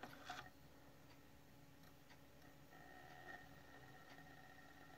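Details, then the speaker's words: PlayStation 1 fat PAL model 7502 after laser/disc drive replacement: quiet drive, faint hum rising as the disc spins up, laser reading, no grinding, normal disc spin-up and the game starts. "it spins faster that's okay now we can hear the laser read and that's it"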